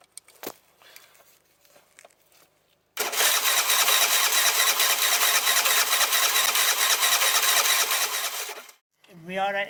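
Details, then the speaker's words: 2007 Piaggio MP3 no-start, with the fuel pump working: six seconds of steady starter cranking at about two beats a second with no catch. Fuel isn't getting into the carb, probably a blockage in the pipe, so the carb is to be removed. "so we'll take the CB away cu the fuel's not getting into the car body which is probably a blockage in this pipe or something so I'm going to have to take it away that's why"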